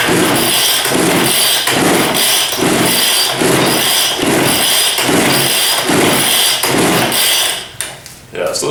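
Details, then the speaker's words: Old Weed Eater 940 power blower, choke on, throttle fast: steady pull-cord strokes, engine never catches; fuel in tank, carburetor suspected plugged. "i did check the the fuel there is fuel in it my assumption is that this has just been sitting a while the carburetor is probably plugged up maybe completely plugged up"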